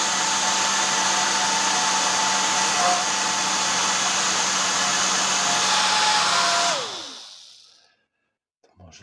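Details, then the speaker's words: Worn original motor of a professional hair dryer used several years, with a 0.22 µF capacitor fitted: steady high whirring hum with a thin whine that runs down and stops after about seven seconds; worn motor, not fit for use. "także widzicie że lepiej tego silnika już nie używać chyba że właśnie do takich doświadczeń"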